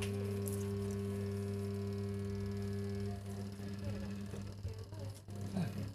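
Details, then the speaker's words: LG WP-1650ROT twin-tub semi-automatic washer not spin-drying, tested with 8 µF capacitor: spin motor gives a steady low mains hum but stalls, never starting; technician suspects shorted windings from heavy use, unconfirmed. "เตอร์มอเตอร์ช็อตรอบมั้ยไม่มีกำลังถอดซะปักรวดไม่ขาดสตาร์ทไม่ออกน่าจะมอเตอร์ช็อตรอบใช้งานหนักเลย"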